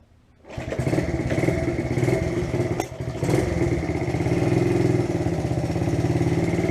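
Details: A 1971 Honda CT70 Trail 70 catches quickly and settles into an even, steady single-cylinder putter with no knocks or misses after low-budget transmission repairs and maintenance; normal start and idle.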